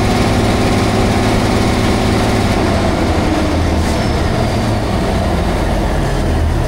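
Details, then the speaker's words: Cat 651B scraper repowered with Cat C15 six-cylinder turbo diesel, low power, zero boost at 700 rpm idle, low fuel pressure, revved to 1800-2000 rpm; loud rough roar with ragged puffing edge; three bad exhaust manifold leaks, likely causing low boost. "I walked around it cuz it sound like it's got exhaust when I rev it up here. It's got three really bad exhaust leaks on the manifold. Um, so that's probably what it is."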